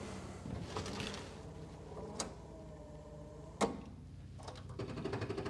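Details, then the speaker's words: 1971 MGB parts car, long dormant, battery relocated to the boot with no negative cable: soft, steady motor hum with regular light clicks and thumps as the wipers sweep; normal wiper motor operation. "Well, the wipers are working."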